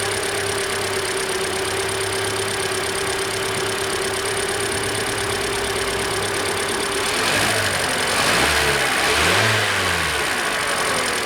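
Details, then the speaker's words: 2013 Hyundai Elantra, about 60,000 miles, new serpentine belt and alternator (alternator acts as tensioner); engine revs up cleanly and settles back with no squeal or chirp; normal serpentine belt. "There's no belt squeal. We're good."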